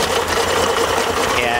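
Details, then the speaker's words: Tohatsu 40 outboard after fixing a missing cylinder caused by a loose, ungrounded coil bolt, now tightened: steady, even hum with no stumble; all cylinders firing smoothly. "now it's running just fine M yummy um so hopefully uh that if you are having a problem with your engine missing uh on a cylinder maybe it is something simple like that"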